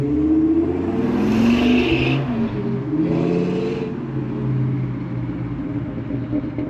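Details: V10-swapped Mustang after MAF sensor rewiring and reconnecting an unplugged main ECU plug: fires and settles into a steady rumble with a couple of throttle blips and no obvious misfire; a slight stutter and a camshaft position sensor code remained on the drive.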